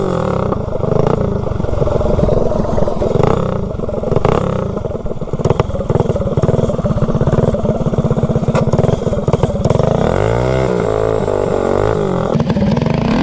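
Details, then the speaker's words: Mildly built Predator 224 engine on a GTS minibike with highway gearing, on a cheap generic 16-tooth clutch: revs rise and sag while the bike hardly pulls, as the centrifugal clutch slips badly. It was wasted in one ride and could not climb the driveway. "so now I'll head back down the hill hopefully I can make it home yeah now it's slipping really bad"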